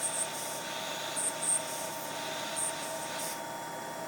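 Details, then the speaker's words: Wurlitzer-type player piano lock and cancel valve at about 12 inches of vacuum with regular tubing instead of the inline bleed; thin steady hiss, no valve action, it only leaks vacuum. Refitting the inline bleed tubing fixes it. "you see now the lock and cancel no longer works all it does is a leak"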